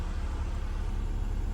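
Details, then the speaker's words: 2012 Scion tC 2.5L, about 98,904 miles, cold start, after fixing low idle while braking: smooth even idle near 1000 rpm staying steady with brake pressed, no misses or hunting. "okay so I'm gonna push on the brake and you see the idle didn't change stayed almost almost a thousand because it is a cold start so it is going to go down a little bit once it warms up"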